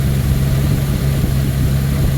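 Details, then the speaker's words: 1979 Ford Thunderbird after fuel system rebuild (new fuel pump, filter, rubber lines, sending unit), running on its own: deep, even idle rumble holding a steady beat with no misses, knocks or ticks; sounds healthy. "we replaced the sending unit and now she's running on her own and she sounds healthy listen to this Lena wants to live"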